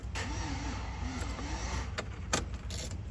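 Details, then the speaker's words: 2004 Chevy Tahoe no-start, reportedly not getting fuel, with the scan tool showing Passlock and ignition states: heavy, dragging, uneven slow cranking without starting. Engine feels tight or short of current; an aftermarket alarm is suspected, unconfirmed. "que se siente como muy apretado el motor o no está agarrando corriente"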